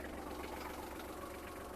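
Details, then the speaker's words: Kubota GL27 diesel tractor with hydraulics, fully serviced with fresh oils, filters and fluids, side covers off, just started in neutral: steady even diesel clatter, no misses, knocks, smoke or breather blow-by; normal idle. "двигун працює Дуже рівно не димить не сапунить все чітко"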